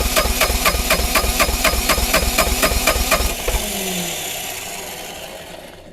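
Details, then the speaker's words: Neglected, frozen-cold Bobcat T595 diesel skid steer with a dead battery, cranked via remote start box with hydraulic load removed: slow even cranking, turning faster than before but too slow to fire; primer bulb tight, so fuel is reaching the engine. "Well, the engine's definitely turning over a lot faster, but still not quite where it needs to be. My primer bulb's getting tight. So it tells me I'm getting fuel to the engine. She's trying to start."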